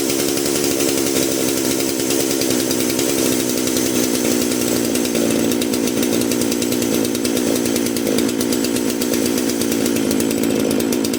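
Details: Dolmar PS-510 chainsaw after a coil replacement for no spark, needed a little starting assistance: runs at a steady, even high buzz with no misfires, stumbles or surging; normal running.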